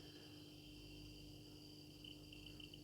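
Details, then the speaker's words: 50x50x15 mm blower fan (smoke generator compressor) on a PWM speed controller with 1K potentiometer, turned down to low speed: faint motor hum with thin steady high-pitched squeal, PWM drive whine. "вот писк писк идет"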